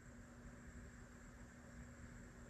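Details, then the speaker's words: Vintage Marshall 2203/JCM800 tube guitar amp on the repair bench, powered through a 200 W bulb limiter: a faint, steady low hum with a thin high whine under the hiss, a little mechanical hum from the power transformer. "3, 2, 1. Little mechanical hum from the power transformer."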